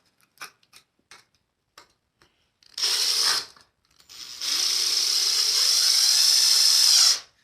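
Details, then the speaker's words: Cordless impact driver with T25 bit driving a construction screw into wood: short bursts of rapid, high, rattling hammering as the impact mechanism knocks the screw through; even, healthy normal operation. "let's drive this construction screw into the wood and you can hear it do its thing okay"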